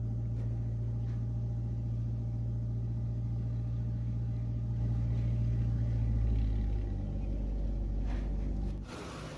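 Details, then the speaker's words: Toyota Beams engine after repairing missing, rough idle and power loss, timing belt removed to open the head; smooth idle, no miss or vibration, rpm slightly raised while still cold. "ये आप देख सकते हैं इसका engine किस तरह से smooth खड़ा है, माशाल्लाह बहुत ही बेहतरीन, किसी भी किस्म की कोई वाइब्रेशन नहीं है।"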